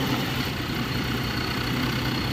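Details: Mercedes-Benz C300 with a failed steering lock, ignition forced on and started by bridging the starter relay: a steady, even low rumble with no knocks, misses or surging; normal smooth idle.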